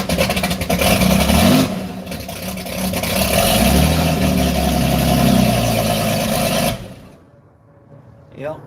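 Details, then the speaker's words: 1954 Chris Craft boat inboard engine, rebuilt a few years earlier, first start after two years of storage, run only a few seconds: catches and runs steady and even, no knocks or misses, oil pressure good; sounds healthy. "Oil pressure was good, I looked. It kind of got into running mode real good. I think this thing's going to be just fine when we dump it in."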